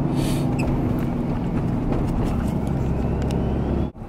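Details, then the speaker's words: Diesel truck just swapped from H&S Minimax to CTT tunes via Ezlynk, test drive breaking in: deep, steady diesel rumble pulling cleanly under load, no knock, miss or whistle; sounds healthy, better than before. "Sounds good and healthy. You can see everything. The truck just sounds a lot better."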